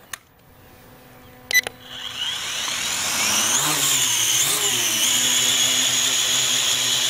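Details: Repaired Syma X8 Pro GPS drone after a crash from a failed motor: a small click, then a high busy whine as the rotors spin up and settle into a steady hum; motors healthy, normal flight.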